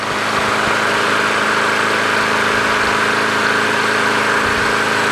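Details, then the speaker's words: Craftsman push mower after winter storage, primed with fresh gas: loud, steady, even small-engine drone at constant speed with no surging or misfiring. Runs as it should. "but that's how the engine's supposed to sound like that sounds fantastic"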